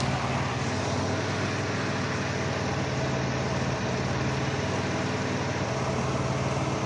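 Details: Dodge Caravan idling with an uneven, stumbling pulse: cylinder 1 misfire (P0301) from an open ignition wire, forcing the coil to fire at 40 kV minimum instead of the normal 10 to 15 kV.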